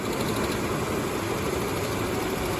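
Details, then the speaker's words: Nissan overhead-cam engine at idle: faint fast light ticking over the engine hum, possibly several sources; owner calls it lifter tick but cause unknown, maybe needs a tune-up. "She starts and runs good, other than the tick."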